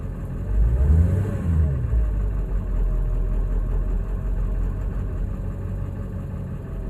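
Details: 2000 7.3L diesel: deep idle lopes and wavers unevenly after a brief rev, rough especially when coming to a stop; ICP changed, IDM swap made no difference, oil and fuel filter changed, cause not found.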